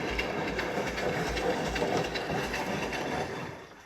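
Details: Scrapped Siemens Extraklasse XL 1000 WH54080/07 washing machine on a rinse cycle after a belt refit: rhythmic swish and splash about two to three times a second as the drum turns; normal water sloshing, typical of Siemens.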